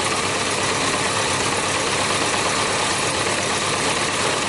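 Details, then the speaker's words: Yamaha Diversion, probably a 600, that wouldn't start, one carburettor flooded, being drained: lumpy, uneven idle with irregular firing under a hissy background; one cylinder still misfiring, though running better after fuel drained. "Sounds like it's running better now that I took some of the fuel"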